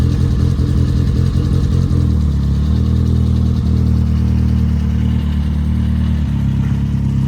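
The engine pulls with an even, steady drone, and its pitch steps between gears without stumbling or popping, so it is running cleanly under load.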